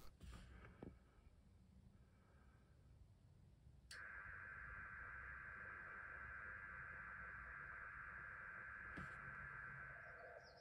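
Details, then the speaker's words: FTDX10 receiver on a small battery with house mains off, checking QRM on 160m at 1830: a steady buzzing tone rides over the hiss, so the interference is not coming from the house. "so the house power off test and running on batteries showed that the qrm is not coming from my house"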